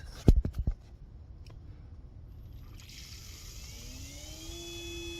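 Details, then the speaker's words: 2010 Ford Fusion Hybrid auxiliary coolant pump, powered directly with 12 V while diagnosing codes P0A7C, P1A14 and P0A3E: a few clicks, then a faint steady whine rising as it spins up and runs smoothly. Cycled on, off, on; the pump is good. "it's on off on so the pump is good"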